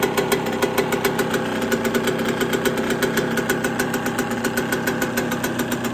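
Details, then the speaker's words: Yamaha YZ125 (1999/2002) built to 144 cc, on its first start after a full restoration with a rebuilt carburetor, still cold and started on the first kick. A crisp, loud, even two-stroke crackle with no misfire: normal running. "she's so loud under here oh the kids are shouting at me yes me she sounds naughty though and she ain't even hot got on a proper first kick this time"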